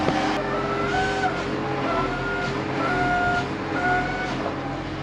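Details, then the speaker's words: Tractor loader cleaning out a corral, not greased beforehand. A sharp high squeak about once a second over the diesel rumble: dry pivots needing grease in the zerks. "but this loader's squeaking, so it needs some grease. I didn't grease it before. I kind of figured it'd be good to go, but if it's squeaking, go put some grease in those grease zerks, because that is terrible."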